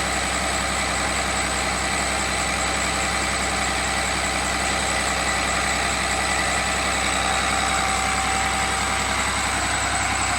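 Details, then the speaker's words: Cummins 6.7 turbo diesel test engine on HythanolPLUS fuel, about a minute after start, just dropped to idle around 736 rpm with no smoke: steady, even diesel rumble at low speed with no misses or knocks; smooth, healthy idle. "as you can see there's no smoke coming out of there it just went to idle it is now idling at 600 736 rpm and it's as smooth as a baby"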